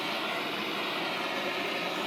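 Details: Coleman Air-O-Gas cabin stove, after generator service, manually preheated: steady breathy roar with hissing top end and no rhythm; burner flaring with yellow flames on fuel pooled from over-priming.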